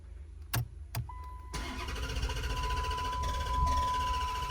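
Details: 2011 Dodge Challenger, crank no start: two clicks, then the starter spins the engine strongly at about four turns a second without catching. Battery charger connected (13.4–13.7 V), low ignition voltage code seen earlier, water in trunk suspected by customer. No fuel delivery.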